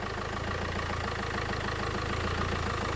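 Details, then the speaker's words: 2002 Renault Master 2.2 dCi idling after fuel system repair, low fuel, checked for leaks: steady even diesel tick-over with smooth regular beat, no knocks or misses; normal idle after repair. "I just want to make sure there's no, so I'm just going to leave it ticking over for a few minutes."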